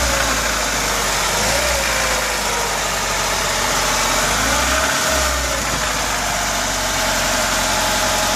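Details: VAZ 2106 1.5 engine held at 2000–3000 rpm with new camshaft and Pilot chain tensioner: uneven rattling knock under the steady roar; engine knock, source unknown.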